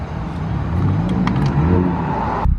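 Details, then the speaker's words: Nissan SR20DET idling after fitting new spark plugs, hot day: steady low rumble with an even beat, no misses or stumbles over light street noise; idling smoothly. "sparkplug tomater pretty happy she's idling good"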